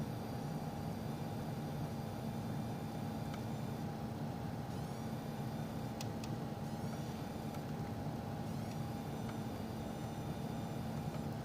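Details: PC with a 9800GTX+ graphics card: a steady rushing hiss with a faint constant tone from the case, caused by a single Corsair 6+2 pin PCIe pigtail power cable.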